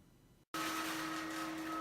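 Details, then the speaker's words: Litter Robot III Open Air self-cleaning litter box: after a click, a steady whirring motor hum with a high whine while turning through its cleaning cycle; noisy but normal operation. "five is noisy operation there's no getting away from the fire when the Little Rock bicycling as you can hear now it's noisy"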